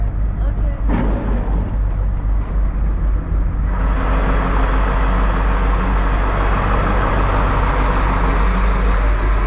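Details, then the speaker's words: Detroit Diesel marine engines underway with temperatures and pressures perfect, heard as the engine room hatch opens: deep unbroken diesel drone, smooth and even, no knocks; normal running. "sound good sound really good I would love them in me car"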